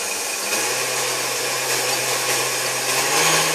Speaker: as you can tell, this thing runs like new. I mean, it's a great running machine.